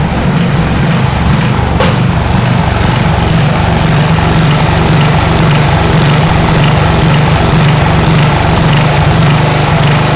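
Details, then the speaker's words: Freebie 12hp replacement engine on a mini hotrod, running with a loping, uneven beat and some wind noise, steadying after lead is dripped in and it warms; owner suspects stuck or hanging valves freeing up, not confirmed. "you can hear it smooth out there we're going to let it run for a little bit and get them valves warmed up"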